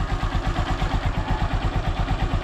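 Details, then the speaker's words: Honda Supremo motorcycle with morning hard starting, kick-started on choke without throttle and left to warm up. Soft, even low putter at idle with steady beats and no knocks or rattles. Healthy idle. "Ayan so antayin lang muna natin na uminit yung makina so hahayaan na muna natin mga idol na ganyan"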